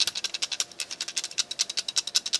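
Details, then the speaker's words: Ruger BX-25 magazine for the 10/22 rifle, shaken after the jam fix (a .22 casing added to take up follower slop): light, crisp clicks about ten a second; only a small rattle remains, which is normal and needed for movement. "when you get this back together you don't want it to where it's not rattling at all it needs to have some space in there for movement in order for the mechanism to work correctly a little bit of rattle is good a lot of rattle is not"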